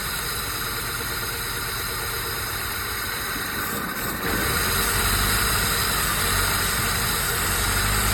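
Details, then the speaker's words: 1994 Jeep YJ Wrangler, sat about 10 years, which tapped hard the day before: even, steady idle with no tapping, smoothing after a few seconds; valvetrain sounds healthy. "go ahead me Crank It Up actually sound pretty good now yesterday it was tapping hard good"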